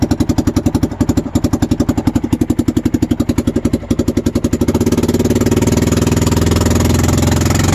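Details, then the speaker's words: Massimo MSU 500 UTV after a warranty muffler/exhaust replacement done at a local garage: engine running, an even thumping idle at about four pulses a second, then a smooth pickup with no rattles or leaks; normal idle, running much better. "okay we got it done let's you can hear this is with the engine running now so it's doing a lot better"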